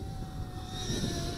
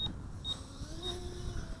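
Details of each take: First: GoolRC G90 Pro brushless micro FPV racer, 1104 8000 kV motors, five-blade props, after a crash into a tree; high steady whizzing whine with a rough edge over motor buzz, caused by bent propellers, later unbent. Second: GoolRC G90 Pro brushless micro FPV racer drone, 1104 8000KV motors, five-blade 1935 props that had been bent and straightened after a tree crash: quiet steady high tone in acro flight, no rattle or buzz; motors and props healthy.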